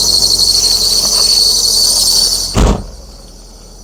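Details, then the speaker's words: Squeal on start-up of an MGF VVC: a thin, steady high-pitched squeal for about two and a half seconds, then cuts off with a thump; unpleasant but not the car's main problem. "That noise isn't particularly pleasant. But that's not what the problem is."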